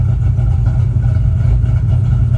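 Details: 2005 Ford Mustang GT 3V V8 running smoothly with a steady low rumble and no stumble after spark plug and coil work; O2 sensor and camshaft position sensor codes still read despite a new cam sensor.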